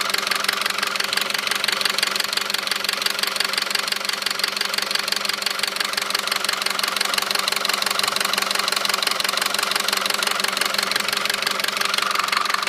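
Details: 2009 Audi A4 2.0T, 82,000 miles, idle: a sharp, regular tapping of about three knocks a second, loudest near the PCV. Dealer found metal flakes around the cam lobes and advised a new engine; car is sluggish pulling away. Cause unconfirmed.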